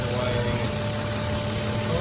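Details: 2006 Nissan Xterra idling after crank-no-start repair: smooth, steady idle hum, no stumble or ticking; radio works, no check engine or warning lights.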